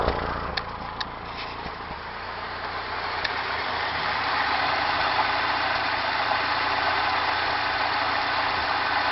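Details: 1992 Mazda B2600 at idle: uneven idle with a faint, irregular stumble in the exhaust beat; misfire, cause not yet found.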